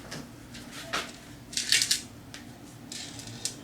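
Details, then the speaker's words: 1990 Mazda Miata muffler being fitted: shaken by hand, it gives irregular tinny clinks and rattles from something loose inside. "there is something rattling around in this Muffler that's no good"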